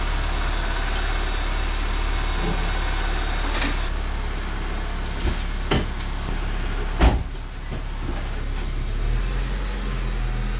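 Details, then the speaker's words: 2004 Honda Civic EM2 idling: a steady rumble with a faint rough, gritty edge and a few clunks. The noise comes from a worn clutch throwout bearing. "All that noise you hear, that's the clutch throwout bearing, which is going to be done in a little bit."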